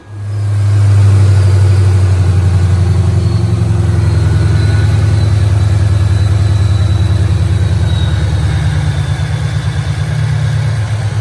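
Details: Fox Body with built 2011 Coyote 5.0 (forged AMS block, stock heads/cams), supercharged, first fire-up at 15–16 psi boost: quick blip then deep lumpy steady V8 idle without stumbles; running fine, later made 650 wheel horsepower.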